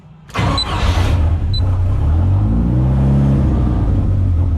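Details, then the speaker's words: Rat10 engine on a laptop-emulated 90s ECU being tuned toward closed loop, revved after a restart: it catches, then bogs flat and hesitant on the first blip before revs build, lean on tip-in right on the pedal. "It's lean right on the pedal there. Like that initial hit said lean."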